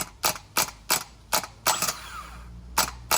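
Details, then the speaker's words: R33 Skyline starter test: sharp dry clicks about three a second that slow and thin out as the starter spins down. This is normal starter clutch overrun; the starter's starting fault is suspected to be a bad earth. "that's the wrap the clutch uh slowing down because it does do that it makes that noise when the car started yeah that one yeah that's the clutch so it's fine"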